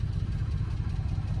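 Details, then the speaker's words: 1993 Honda Acty Street Limited 4WD carbureted kei van, warmed up: deep, steady putter at idle with evenly spaced pulses, no dropouts or knocks; idling cleanly and evenly. "starts yeah and then as you can see idles absolutely perfectly turn the lights on for you guys very nice"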